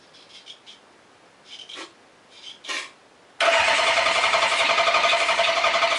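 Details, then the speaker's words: Honda CB750 chopper with rebuilt carburetors, battery on charger while cranking: quiet cranking then a loud choppy uneven beat, only two cylinders firing; owner suspects dirty ignition points, timing unverified. "Sounds like only two are lighting off. All right, let me clean those points. That's probably what the problem is."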